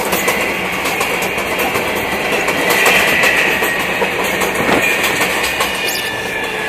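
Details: MTA R142A car 7686 on a Manhattan-bound 4 train, 183rd Street next: steady high-pitched howl over the clatter of wheels on rail joints as the car runs; howling traction motor, later fixed.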